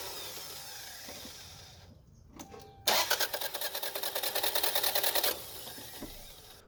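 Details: Toyota Camry with new timing belt, crank sensor disconnected: about two seconds of even cranking, roughly three strong compression pulses a second, no slapping or free-spinning; healthy cranking versus the faster crank with the torn belt.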